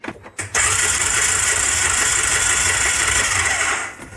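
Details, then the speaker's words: Ford Ranger engine cranked with spark plugs removed, no compression (compression read about 120): starter spins engine with an even whirring churn at a modest, not especially brisk rate; owner suspects a bad starter. "turns it over pretty good that way. Although it doesn't seem impressively fast. So maybe the starter's just bad."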